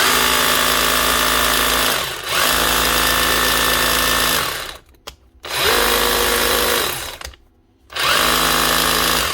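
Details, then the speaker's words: Bosch GBH 36 VF-LI Plus 36 V SDS hammer drill, 2024, under warranty, reported not running: whirs in short bursts, running very slow with strained low pitch, not full power; suspected burnt-out motor, possibly controller, no burnt smell. "Yeah, so I'm not right there. That's actually a burnt out motor. I think so anyway. Doesn't smell burnt out, mind you."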